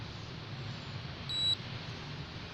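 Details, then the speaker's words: Galvanic facial spa device switched on at setting 2 with wet hands: one short, steady high beep of about a quarter second over faint room hum; the beep confirms the unit is on and working normally. "Setelah kita habiskan, kemudian kita nyalakan, kita pencet nomor 2 ya, pastikan alatnya bunyi dan tangan kita basah."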